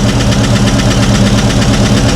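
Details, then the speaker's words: Long-sitting V8 on its first start after a Holley Sniper 2 EFI install, throttle cable unhooked, fires on the second or third try. A fast, even light tick rides over the idle rumble; a noisy lifter is suspected. "fired right up on the second or third try. I hear a lifter"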